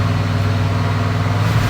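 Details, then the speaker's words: Barn-find 1972 Chevelle V8 after old-school points tune-up with new ignition timing, still warming up: drops off fast idle after throttle stab and settles to an even, steady low-rumble idle, happy with timing and idle speed. "And now it seems to be happy right here at the idle speed. So it seems to be happy with this ignition timing. It seems to be happy at our idle speed."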